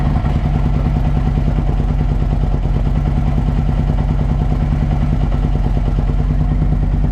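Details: 2007 Harley-Davidson Ultra Classic V-twin after Screamin' Eagle compensator upgrade for a warm-start issue: heavy deep thump with rapid uneven clatter throughout; a viewer suggested the starter, source unconfirmed.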